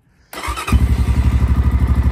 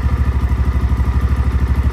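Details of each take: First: XPro Templar X 250cc dirt bike, cold, after installing a 30mm Nibbi carburetor and loosening a tight throttle cable: a slow, even thump under about 1000 rpm; the idle screw is set too low, near stalling. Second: XPro Templar X 250cc dirt bike fitted with a new 30mm Nibbi carburetor, idling from cold with idle screw set near 1000 rpm; an even, steady single-cylinder thump with no misses or hunting, where the bike was previously hard to idle cold. Normal idle.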